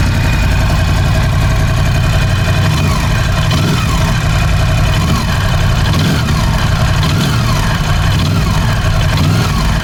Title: Piston Slap Ducati Scrambler 1100 - After replacing the horizontal cylinder and piston